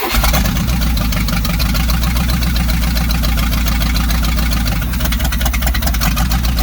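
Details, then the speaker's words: 1970s Sleek Craft jet boat's Oldsmobile 455 big-block V8, sat for years with water in the engine, run without exhaust manifolds: catches into a loud, even lumpy idle with open pulses and no rod knock; sounds like a good engine. "Alright, we got a motor that runs. I didn't hear any rod knock or anything crazy, despite having literally no manifolds on it, so it's really hard to hear what was happening."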